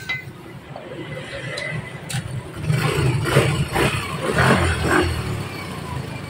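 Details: Yamaha Mio GT 125 scooter that had died with no ignition and a dead fuel pump, after repairing the failed brown wire near the switch. A few kicks, then it catches and settles into a low steady putter with some clinking. Normal running.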